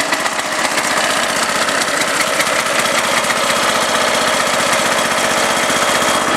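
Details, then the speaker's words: Huskee riding mower jump-started with a borrowed 625 cranking-amp marine battery after a no-start; small single-cylinder fires up easily and settles into an even, steady idle with no misses or knocks, running normally. "starting pretty easy there"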